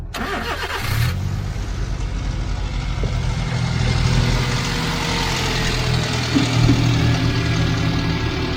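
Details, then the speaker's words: Daihatsu Atrai 7 JDM mini-MPV with low oil on the dipstick: quick crank, catches cleanly and settles into a smooth even idle with no ticking or rattles; engine sounds healthy. "That sounds good enough, doesn't it? A proper sporty sounding little engine, isn't it?"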